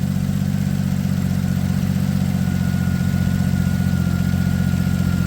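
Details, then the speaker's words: 2007 Ford Edge SEL AWD 3.5L V6, idle right after replacing the #6 fuel injector (open/short circuit code, rough idle, not all cylinders firing): a low, even, smooth hum with no misfire. The check engine light is still on but no longer flashing. "It definitely sounds like it's running smooth as well."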